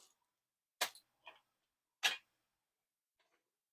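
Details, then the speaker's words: Commodore 1541 disk drive, drive mechanism testing: a few sharp dry clicks at uneven spacing in a quiet room, head stepping normally with no grinding or buzzing; normal disk drive head stepping. "The head is moving. It sounds good."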